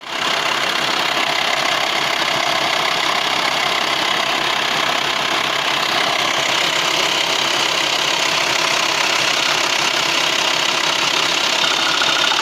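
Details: VW T5 2.5 AXD diesel idling with a busy, even clatter at firing rate over a hissy background; noise is worst when turning the steering wheel, cause not pinned down.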